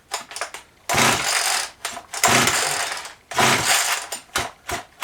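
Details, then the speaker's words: Vintage 1989 Husqvarna 50 two-stroke chainsaw, sat years with old gas and wouldn't run, no decompression valve, pulled over before teardown: sharp rasping bursts each pull with firm, even thumps between strokes; good compression. "It should give it a nice thump as you're pulling it. This saw does not have the decompression."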